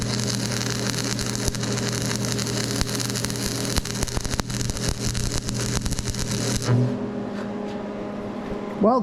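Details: Old welder test at 90 amps DC positive: steady, even crackle with a low buzz for about seven seconds, a smooth consistent healthy arc; the cooling fan also sounded good, with no bad bearings.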